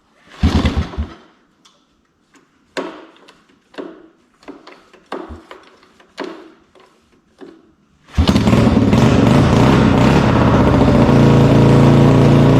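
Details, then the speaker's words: 1973 Honda ATC70 with freshly rebuilt carburetor and straight-pipe exhaust: a few hard pull-start tugs, catches at eight seconds and holds a steady, even run through the loud open exhaust; normal running. "down great look at that what a fantastic deal it's just got straight pipe exhaust on it to match the flame tank I guess"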